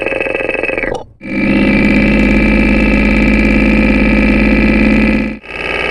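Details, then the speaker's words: Porsche 944 at idle after an oil and filter change, heard close up across the camshaft housing: steady, even lifter ticking on all valves, with lifter number two now less distinct. "when scanning across the camshaft housing now the lifter sound is pretty evenly ticking away across all the valves"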